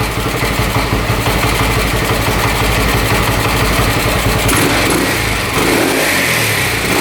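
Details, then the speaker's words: Harley Sprint 350 single-cylinder motorcycle from the 1970s with dual pipes, first run in about 18 years after police seizure and auction; hard to start, possibly from a plugged exhaust. Loud, even beat climbs cleanly on throttle blips and settles back without misses; normal running and revving. "the Dual pipes are sweet sounds really cool I've never heard of 350 before and that sounds awesome"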